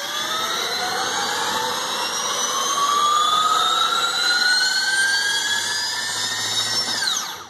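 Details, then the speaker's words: Electric motor on a Lebowski controller, acceleration limiter set low for roughly 18–20 s 0–60, throttle pinned full from a start: clean motor whine climbing slowly and steadily for about seven seconds then winding down, normal limited acceleration. "you can hear how well that works and basically all I'm doing is this is my throttle right here I'm just pinning it full throttle right from a start"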